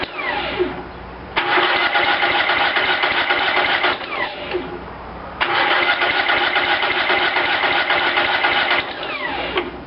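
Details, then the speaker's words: Cub Cadet lawn tractor after carburetor rebuild, primed with shots of gas: two long bursts of even starter cranking with short pauses, engine never fires; hard starting from fuel starvation, new manual fuel shutoff left closed. "I hate to admit it but I had forgotten to turn the new manual fuel shutoff on that I got put on this tractor so that's why it was taking so so long to pry them up"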